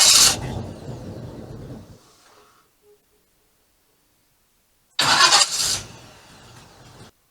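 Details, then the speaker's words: 1987 GMC Jimmy cranking on a newly fitted mini starter: two bursts of sluggish cranking that catch briefly then fade, sounding like it drags, and it runs oddly; slow dragging crank and rough running. "Well, it cranks. I don't know if it sounds the best. I don't know. How does that sound to you? Can you hear it? Does it sound like it's dragging?"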